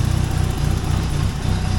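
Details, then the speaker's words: Yugo idling after DIY exhaust build and valve adjustment with proper shims, old Bosch injectors, nearly empty fuel: low, even idle rumble with light steady injector tick, no knocks or misfires; running smoothly. "adjusted the valves shimmed it properly sounds really good exhaust sounds good too"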